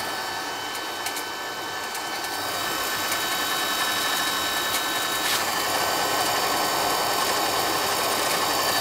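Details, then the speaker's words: Carlin EZ1 oil burner, poorly maintained, had locked out: hissing roar with uneven pulsing flutter about four beats a second, spitting and sputtering; suspected out of oil with air in the line, not confirmed. "it sounds like it's out of stabbing for oil probably got air in the line"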